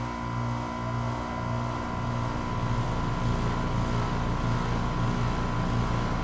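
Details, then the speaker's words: Newly installed 2.5-ton heat pump compressor at first start-up: low steady hum with soft pulse, growing quieter as head pressure builds and the TXV controls superheat; new compressors are noisy at first, so this is normal. "i assume you can hear it on camera how much quieter the compressor got once they got a little head pressure against it which are always a little noisy when you start them up for the first time"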